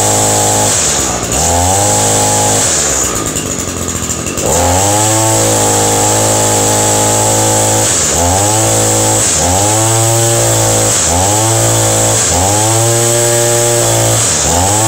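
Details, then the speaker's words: Two-stroke engine, sat a few weeks, fresh dribble of gas, started on choke: settles into steady idle between sharp throttle blips about every second, revving cleanly and dropping back evenly; normal running. "all right that sounds pretty good"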